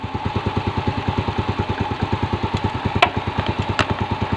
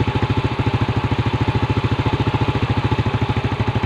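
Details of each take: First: Yamaha Vega R New that was hard to start in the morning and weak on acceleration, after carburetor cleaning and air and idle screw adjustment. Quick even putter of about eight beats a second with faint clicks and no misses. Clean, healthy idle. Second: Yamaha Vega R New single-cylinder carburetor engine (hard morning starting, weak pull) during carb service, air screw being adjusted: fast, thin, dry putter about 3.5 beats a second, idle sagging; mixture set too lean.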